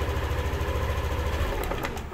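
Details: Yamaha Aerox version 2 scooter putters at idle, then a few clicks and it dies when throttle is applied; fuel pressure okay at 34 psi, dirty or clogged fuel injector suspected; battery also weak.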